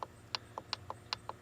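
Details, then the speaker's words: Contactor on the water pump timer in an off-grid solar irrigation setup for a farm pump and refrigeration: sharp, crisp clicks as it switches on and then off cleanly against a quiet background; normal contactor operation. "and this is for the water pump timer. You can hear the contactor clicked on"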